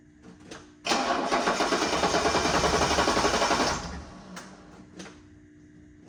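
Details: 1984 Mercedes-Benz 300SD diesel after getting fuel to the injectors, possibly glow plugs, battery charging: even cranking about four beats a second for three seconds, brief start, then it immediately quits.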